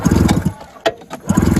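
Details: 1980 Yamaha Enticer 340 snowmobile after sitting for years, carburetor cleaned and mice nest removed: repeated one-second bursts of fast even cranking with no firing; no spark or no compression suspected. Cranks but no start.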